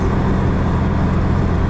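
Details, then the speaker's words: A 2003 Pontiac Grand Am GT makes a steady low droning hum under road noise while driving, also felt in the wheel, traced to a bad front wheel bearing. "I can feel it in the wheel too so I would like to get down to the bottom of it because I would like to start driving this car again more frequently"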